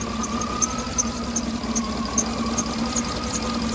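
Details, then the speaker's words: 2009 Cadillac Escalade V8 at idle after oil pickup tube replacement: light, uneven metallic tapping about every third of a second, a part hitting up against something, not the former tick. "all right there's like a rattle not a rattle but this thing right here right here is like hitting up against"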